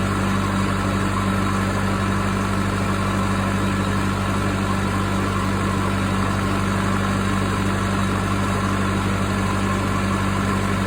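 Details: Case 450B dozer with 207 diesel just after injection pump reinstallation: steady, even idle with no misses but rpm noticeably high; idle suspected to need adjusting, and the oil has some fuel in it.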